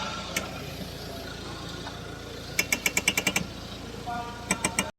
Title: Shocker Bearing noise while turning steering